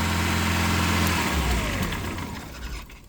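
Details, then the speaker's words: 1999 Ford Ranger 2.5L four-cylinder with high-idle problem, idle air control valve unplugged as a test: steady idle hum sags and fades as the engine dies over two seconds, showing the valve works; temperature sensor suspected, later replaced. "the engine dies and um so it's working. It's supposed to really not really die but just rev down"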